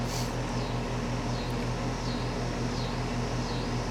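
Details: Home A/C condenser with a rebuilt compressor sound blanket installed, mic right up close (about 74.5–75 dB max): steady low even hum with fan whoosh sweeping in and out; running smoothly, nothing wrong.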